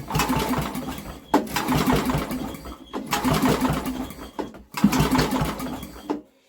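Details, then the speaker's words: Old Briggs and Stratton generator with new carburetor, after brake-clean squirt, choke on and off: four quick recoil pulls, each short spin-and-fade, no catch; cranks but won't start, cause unknown. "it wants to go you can hear it it fires wants to go but it just isn't"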